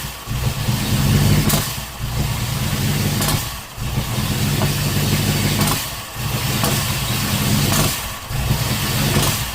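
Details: Ford V8 with Holley Sniper 2 fuel injection, battery at 12.7 V, TPS at 0.0: catches and runs in uneven surges, stumbling with sharp pops every couple of seconds; backfiring on start-up, owner suspects too much fuel, cause not confirmed.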